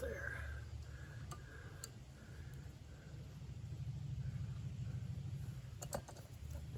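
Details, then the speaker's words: Maytag 72 engine driving a power hacksaw with larger 5-inch pulley, fuel adjustment two turns out to lower rpm: low steady even chuffing about three firings a second, no misses; smooth running at reduced rpm. "actually is running better at lower RPMs than I thought it would go another half turn so now we're two turns out"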